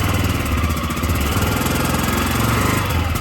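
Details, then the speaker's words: Daelim quad after CVT clutch and belt cleaned, lightly greased and reassembled: single-cylinder engine revs evenly as drive takes up smoothly, slight clicking if revved hard, no judder or slipping; normal clutch engagement. "so as the clutch is coming in a lot smoother now. However, if you're a bit handy on the revs, you can hear it clicking, just biting. So ideally, you come in nice and slowly, it picks up, there's no juddering at all."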